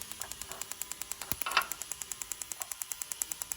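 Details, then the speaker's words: Mazda MX5 NC with an LS1 V8 swap, chasing a misfire using the Link ECU ignition test on cylinder two: sharp ignition snaps about eight per second, with a brief ragged crackle as the spark fires to the body instead of the gap; poor plug; spark arcing to ground. "can just kind of see it firing and say actually that the plug isn't that great and keeps trying to fire off the body in places"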